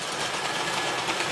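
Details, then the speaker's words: OO gauge 3-rail Dublo Royal Scot loco, converted from 2-rail Wrenn model: fast, thin buzzing whirr from motor and gear train with a slightly rough edge; still running, a bit noisy, cause unclear. "so there you go more adventures with the Royal Scot but he is still running if a teeny bit noisily"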